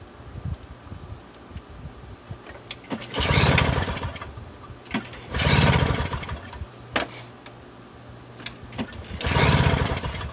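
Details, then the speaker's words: Toro CCR2000 snowblower, 2-stroke 4.5hp Suzuki with Mikuni carb on 50:1 mix, heavily primed: three pull-start bursts spin it over but it never fires, some muffler smoke; float bowl found nasty and oily, fuel starvation suspected. "well there is some smoke coming out of the muffler I mean lift it up turn on its nose there's an opening for the carb I can see the float Bowl and she's all nasty and oily"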